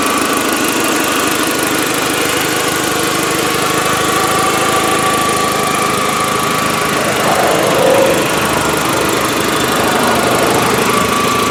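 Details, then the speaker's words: 2004 VW Jetta sedan engine at idle; even, steady idle with a smooth mechanical patter and no knocks, runs pretty good, possibly a very slight minor exhaust leak: normal idle. "Alright guys, and there you are. That's the motor in this vehicle, and it does seem to run pretty good."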